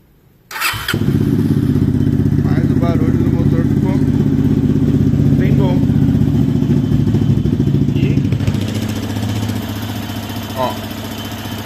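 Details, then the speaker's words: Yamaha XTZ 250X (Lander X) single, after repair; a foreign metal object apparently entered the engine and exited the exhaust, piston, cylinder and head kept: even thump about four per second, no knock or rattle; normal idle. "então É isso aí galera o barulhinho dela ficou bem bacana esse escapamento e faz um barulhinho"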